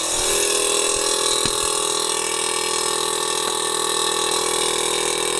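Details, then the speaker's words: VW Golf R Mk7 with newly DIY-installed 3P air ride: compressor switched on and calibrating by itself, tank vibrating; steady high-pitched electric whir with fast even chatter, no stumbling. Normal compressor operation. "the tank like vibrating so we've turned it on i'm not touching anything it's calibrating as you can hear whoa sounds sick"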